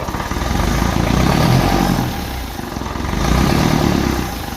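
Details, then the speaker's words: 1955 Ferguson TEF 20 diesel tractor, revved during a charging-system check: clatter swells and drops with two throttle blips, with a loud gulping draw at the intake, which has no air filter fitted. "So you can hear her sucking away there on the... That's just that there."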